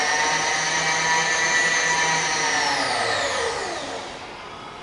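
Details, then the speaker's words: Bridgeport variable-speed milling machine, X-axis power feed at about slowest variable speed: smooth even motor whine holding steady then winding down; operating normally. "Okay, so that's probably about the slowest now. So you should be able to see it moving in the X-axis there. And that's all variable speed."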